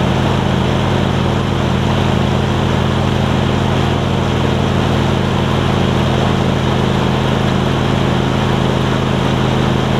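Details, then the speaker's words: John Deere LX277 riding mower with a deck swapped in from a parts LX178, started to cut grass: steady, even, quiet engine drone with a constant low hum and no knocks or misses; normal running. "can't really ask for much more than that i think it's super quiet too"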